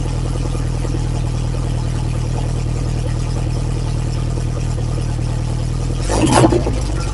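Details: Lotus Esprit engine after refresh, Bosch injection still being tuned, started cold (only reached about 30–40°C): loud even deep fast idle with steady throb and a brief blip, no misses or knocks; normal cold fast idle.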